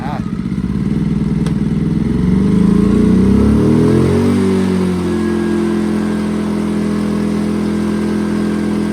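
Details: A-iPower portable inverter generator, Yamaha-powered, that would not start because of low oil, after topping up, on choke: pulls through, revs up within about three seconds, then settles into a steady, even hum with no misses. Normal running.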